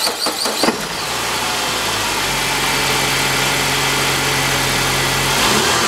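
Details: 2007 Saab 9-5 2.3L turbo 4-cylinder, automatic, FWD, about 124,000 miles, front-end damaged: quick crank and catch, then steady, even idle with no knocks or misses; starts and runs normally.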